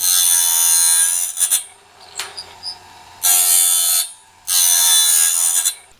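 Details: Norwood BladeMate Pro band-blade sharpener, set up and cutting right: bursts of high, bright grinding hiss every couple of seconds as each tooth is ground; normal sharpening.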